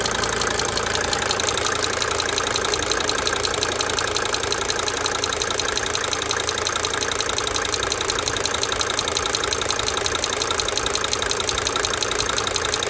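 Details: 1992 Mercedes-Benz 300D 2.5 Turbo diesel at idle: sharp, even injector ticking over steady idle, swelling and fading in cycles.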